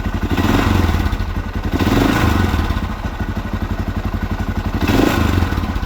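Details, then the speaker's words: 1979 Honda XR500 single, freshly fully rebuilt, on a desert shakedown: steady thump about four beats a second, revving up and down, valve tick gone after top-end work, still not the quietest engine; healthy running. "Still isn't the quietest engine. The valve sound is gone, though."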